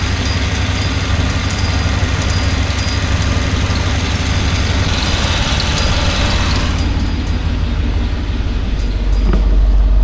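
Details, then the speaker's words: Suburban at idle during AC recharge with air duster on can five: steady low idle with even mechanical hum that never cuts out; compressor running continuously instead of cycling, air cooling. "Starting to get cool. This is can number five. And the compressor is not kicking on and off like it was."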